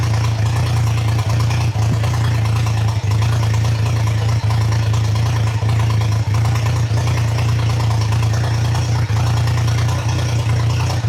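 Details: Triumph Trident T150 triple, first start, choke open, held up on the idle screw, carbs not yet set: loud, high, steady idle with deep drone and brief regular dips; owner notes the recording sounds stranger than in real life.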